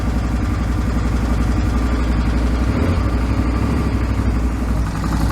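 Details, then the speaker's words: 2008 Suzuki V-Strom 650 after engine swap to a newer motor, first run: deep, steady V-twin idle with even lumpy beat, no tapping or rattles, some debris spitting from the exhaust; sounds healthy. "Well, that sounds pretty good. Sounds nice. I'm spitting a bit of shit out of the exhaust."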